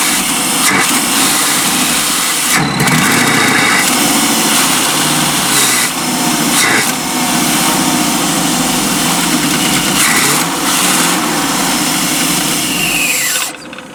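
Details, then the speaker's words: 1992 Chevy P30 RV, TBI 454 V8, hot day: revs surge and sag with stumbles, then dies; runs better with MAP sensor unplugged, fuel starvation, suspected weak inline pump or faulty fuel pressure regulator. "so I unhook the map sensor and it runs much better which is a classic sign of fuel starvation"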